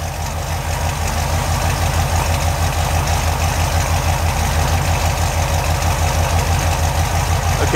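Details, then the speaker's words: 383 stroker V8 in a Chevy truck with headers and Hooker turbo dual exhaust, after throttle blips dropped it off the high idle speed: steady, even idle with a firm regular pulse about three beats a second, no misses or knocks. "side along the curb idle speed is dropped off the high speed damn that's pretty good Idol to it"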